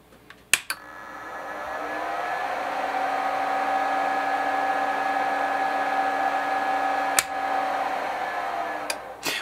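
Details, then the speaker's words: Mean Well SE-450-24V switching power supply, about six to seven years old, fitted with a smaller Delta replacement fan: spins up over two seconds to a steady droning hum with a ringing tone; only slightly quieter than the original fan, possibly needs rubber gaskets. "is quieter but not much more wow whatever it is definitely quieter than with this big big guy but it's not much more quieter"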